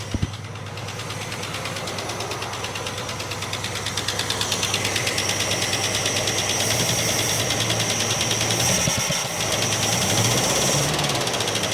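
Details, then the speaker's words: 1967 Plymouth Barracuda V8 running lumpy, about three pulses per second, with no change when one plug lead is pulled, so that cylinder is not working; dead cylinder misfire. Distributor appears set too far out. "I'll pull the leads off where I think the noise is not doing much. and more like that one. It feels like on here. Seems like it's not working."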